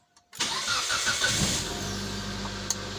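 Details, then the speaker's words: 2006 Mitsubishi Lancer, 4G18/4G15, intermittent hard start with no codes, started after sitting a while: brief crank then a clean catch into a steady, even idle; a healthy start, the fault not reproduced. "right so the vehicle started up pretty well right but still like I said they said they gave from time to time right"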